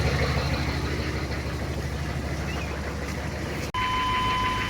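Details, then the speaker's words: 1996 GMC Sierra HD with 6.5 diesel, freshly washed, started and idling: steady, even diesel clatter with a deep low rumble, no knocks or misses; normal healthy idle. "Now we're going to start it up and you can hear it run."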